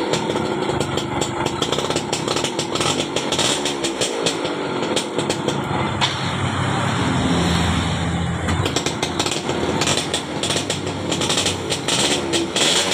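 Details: 2004 Yamaha F1ZR two-stroke after reconnecting a broken black ground wire that kept the engine running with the key off; small-engine popping, picking up cleanly on light throttle and settling back evenly; healthy.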